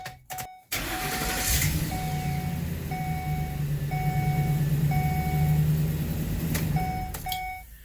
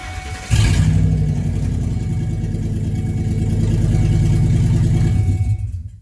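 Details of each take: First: 2011 Ford E250 van after a temporary bent pipe replaced the stolen catalytic converter: starts and settles into a steady even low rumble without rasp; exhaust sealed, much quieter, fixed. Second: 2011 Ford E250 van at startup with its catalytic converter stolen: loud, raw, open roar with deep low pulsing, far louder than stock; exhaust noise from the missing converter.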